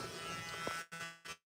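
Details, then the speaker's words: 1982 truck with original paint, Sniper 2 EFI system, cold, key turned on in park with emergency brake set: steady electric buzz under a second then abrupt stop; fuel pump priming normally. "Sniper 2 system comes on. Once it comes on, the fuel pump is primed."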